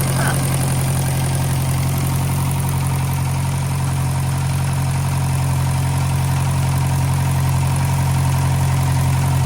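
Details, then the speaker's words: 1956 French-built Massey Harris Pony 812 tractor, Simca 9 gasoline engine, idling after fuel pump rebuild: steady low idle with faint rapid ticking puff on each firing; small exhaust leak noticed. "looks like there's a little bit of a exhaust leak there."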